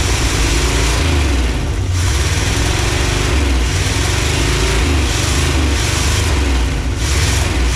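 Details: 1986 Chevy G20 van V8 that sat 5 years, first run on its own without ether after reconnecting the ignition module: loud, raspy open roar with rev blips; exhaust leaking badly and probably needs rebuilding.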